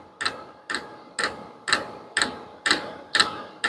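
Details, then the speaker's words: Vevor diesel heater at its lowest setting: the fuel dosing pump ticks crisply and evenly about twice a second over a quiet background, a drop of diesel per click. Normal fuel pump ticking. "closer look to the fuel pump that's what you'll he ticking"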